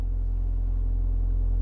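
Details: Ford Mondeo Mk4 2.0 TDCi after DPF service reset and sensor relearn: steady even low rumble with no knocks, misses or hunting; normal diesel idle.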